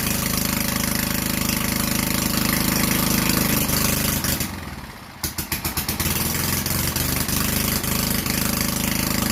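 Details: Vintage Generac Niagara generator model 5621-0 with a 5 hp Tecumseh engine, started on choke after replacing the gas hose and air filter; single-cylinder putters steadily, dips briefly, then recovers and settles; running normally.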